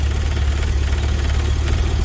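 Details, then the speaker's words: GMC flip-nose with 6.0 litre V8, warm idle: loud dense rattling buzz over the low rumble coming from the electronic throttle body motor; engine itself sounds fine, replacement throttle body planned. "now I don't know if you can hear me because I know that motor gets kind of noisy this thing's really really noisy"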